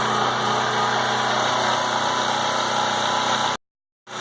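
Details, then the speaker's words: PowerIt 3800-watt gasoline generator with 7 hp four-stroke engine, started after sitting over half a year without a full tank: steady governed hum, even buzzy note, no stumbling; starts and runs without issues. "I just want to make sure the generator burger started up pretty good for sitting already there we go guys start it up without any issues"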